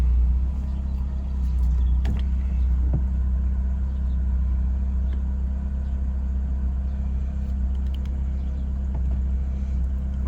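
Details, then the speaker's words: BMW E36 drift car with replacement engine, after taped and glued air intake repair: low steady rumbling idle, even beat, no hiss, stumble or surge; normal idle. "she does sound so good though you know when she's running right really"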